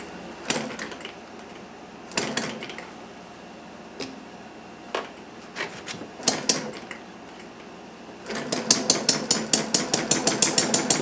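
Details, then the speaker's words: Chinese Banggood model hit-and-miss engine, 6-volt battery ignition, muffler off, flyweight governor interrupting intake valve to coast: sharp pops with quiet coasting gaps, then quick even run of about three bangs a second; normal hit-and-miss running. "You can hear it hitting and messing. Notice the flyweights expanding on the outer side of the flywheel, and they come up, open up, interrupts the intake valve and lets it coast."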